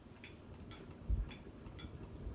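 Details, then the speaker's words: Very old ceiling fan of unknown make on high in a new home: light regular clicking about twice a second over soft hum, wobble from one bent blade; quiet when switched from high to medium. "noticed there's the wiggle to the fan because one of the blades is kind of bent out of shape just makes this annoying clicking"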